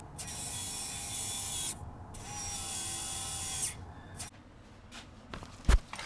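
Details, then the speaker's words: Turbo car whose Arduino VNT controller was reconfigured to give the linear actuator (servo) full 12 volts for faster turbo response: quick whirring bursts starting and stopping crisply, no grinding or stalling. Normal actuator cycling. "okay Servo is now screaming right along so we're going to go ahead and take this thing for a test drive"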